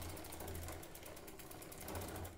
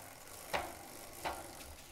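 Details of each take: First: Giant Defy bicycle with a short-cage derailleur and 11/32 cassette, chain shortened by removing a master link, pedalled backwards; rapid light ticking about ten clicks a second from the drivetrain. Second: Giant Defy bicycle, short cage derailleur with 11/32 cassette, after removing master link to shorten chain: drivetrain pedaled forward runs quietly with only a light click about every 0.7 seconds.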